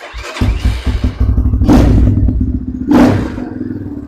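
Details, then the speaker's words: Trailmaster TM31 with aftermarket carburetor, cold start on choke: choked engine stumbles unevenly with two sharp loud pops about a second apart; backfiring while cold, owner says it dislikes cold weather, cause not confirmed. "usually this box actually pretty cold nature every time I've I've rode it it's it doesn't like the cold weather"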